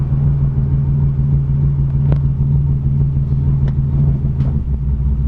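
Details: 1987 Chevrolet Cavalier RS convertible V6 at idle, owner has replaced everything yet it won't smooth out: low drone with uneven loping pulse about twice a second; rough idle, cause undetermined.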